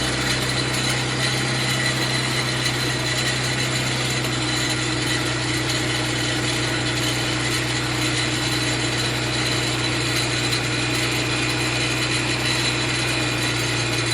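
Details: Mitsubishi FTO track-car build, first start of a freshly installed engine on jump leads: constant gritty, chirping whine holding steady over the idle; owner suspects the tensioner bearing, not confirmed.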